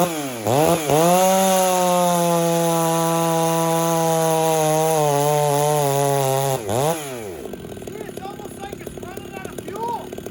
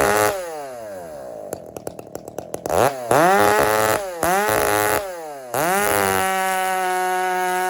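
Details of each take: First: Chainsaw being tuned leaner and richer between cuts, slightly dull chain, hot day: revs high holding a screaming pitch, sags briefly, chatters into the cut; over-revving, judged too lean. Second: Husky 394 chainsaw fired up and held at wide-open throttle. Revs climb quickly to a steady howl with a slightly gurgling, rich edge rather than a lean scream; healthy running.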